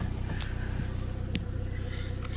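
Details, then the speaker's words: Engine on E85 with Skunk2 Pro manifold and the stock throttle body, after a high idle. Low, steady idle about 1000 rpm, even beat, no hunting, quicker throttle response; owner suspects the IACV leaked past its gasket or was misaligned: normal idle. "gonna tap the gas and it comes on really quick guy not really quick but quicker than did before and the idol was nice and low court should be about a thousand"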